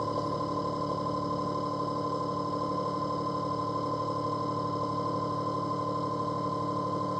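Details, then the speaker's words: Ecovacs Deebot T80 Omni robot vacuum and mop, whose water pump was silent during the first cleaning: now a steady mid-pitched tone and even motor hum with a soft pulse, water pump and mop roller running normally. "I think the water pump is [music] working now. Yeah. And that's I hear that. That sounds like a water pump. And also there's the mop roller."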